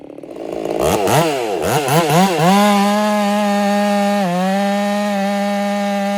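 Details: Ported Husqvarna 385 chainsaw during break-in, tune slightly rich, in very hard oak: it revs up and settles to a high steady tone in the cut, holding speed with only a brief dip.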